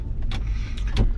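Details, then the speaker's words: Chevy Tahoe coasting down from about 35 after front differential rebuild and two replaced Moog front hubs: only a soft low road rumble, no hum or growl from the front; bearings now quiet. "the hub's I thought they were good turns out they weren't so two hubs differential rebuilt on the front everything sounds great"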